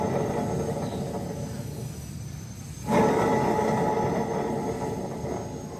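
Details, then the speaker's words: Suzuki APV front wheel bearing: a steady low humming rumble, very noisy especially when driving, clearly the sign of a worn wheel bearing, replaced by pressing in a new one. "Suaranya sangat mendengung. Suara gemuruh. Terutama saat mengemudi, sangat berisik. Ini jelas merupakan tanda bantalan roda yang rusak ."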